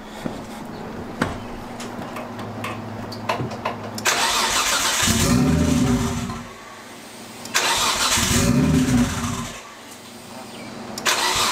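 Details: RB25-swapped Nissan R32 Skyline GTS first start after swap with corrected driveshaft: cranks briefly, catches, two clean throttle blips then even idle; healthy first start, later misfired, coil packs suspected of overheating.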